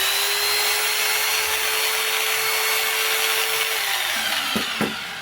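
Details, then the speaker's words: Makita 4329 jigsaw just reassembled after a gearbox knock repair, checked on power-up; smooth, soft, even whine at steady pitch, no knocking, winds down cleanly; normal running. "слышим приятный звук мягкий который нас радует"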